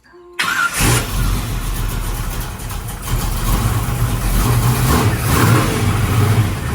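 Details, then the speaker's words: Project 55 engine idling after moving vacuum advance to a different port: starts, then idles unevenly with a lumpy, wandering beat and blips; better but still short on ignition timing, power valve wrong and lean spot off throttle. "so it's better it just didn't have enough ignition timing in it really it's just it's the whole combination is just off"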